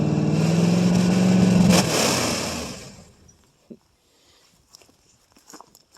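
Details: 1968 Ford LTD 390 FE two-barrel V8, off road since 1999, about three years unstarted, running on gas poured in the bowl: revs up with pitch climbing about two seconds, then winds down and shuts off. Doesn't smoke too bad.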